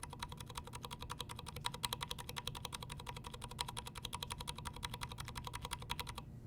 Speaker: lubed there's like there's hardly any ping